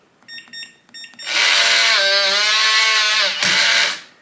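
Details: Kwikset/Weiser SmartCode deadbolt on 4 AA batteries, after door handing detection and setting a new user code: four keypad beeps, then a steady motor whir as the bolt retracts cleanly, a normal working unlock.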